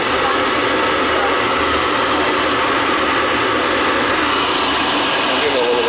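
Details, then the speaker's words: Riello oil burner on a no-heat call, refired after fitting a 0.75 nozzle (spec 0.50–0.95): a steady, even roar with a faint high hiss and no pulsing or rumble, running smoothly and seemingly better. "I put a little bigger nozzle in there let's fire it up and see what happens that seems to be running better with that one in there"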